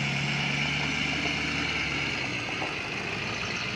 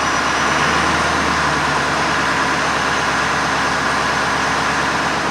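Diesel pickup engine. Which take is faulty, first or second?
second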